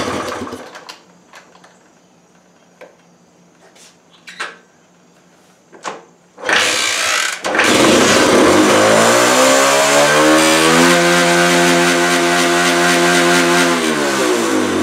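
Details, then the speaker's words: 1968 Honda Trail 90 that sputters on the road, carb slide suspected stuck: clicks, engine catches and revs hard, holding high before slowly dropping; revs hang instead of returning promptly, cause not confirmed. "ain't the slide stuck guys well didn't that sound Wicked"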